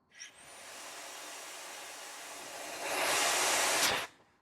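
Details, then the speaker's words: Truck tractor protection system test for an Ontario Schedule 1 inspection, air built to 110 psi, trailer lines disconnected and service pedal pressed: a steady loud hiss swells with the pedal as air blows out the open trailer line; the tractor protection valve stays open and pressure drops. "Hopefully, you hear the air leak uh that we just had. And the pressure is already dropped. See? So, there's a lot of leak happening and uh the tractor protection valve basically was completely open at this scenario."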